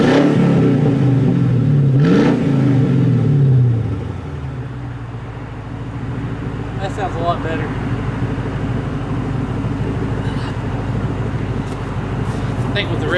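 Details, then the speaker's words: Grand Marquis V8 with new H-pipe exhaust, no muffler fitted yet: deep throaty blips rising and falling, then low rumbling idle; sounds deeper and meaner. "yeah the H5 sounded a lot lot better now a little throater a little deeper a little meaner"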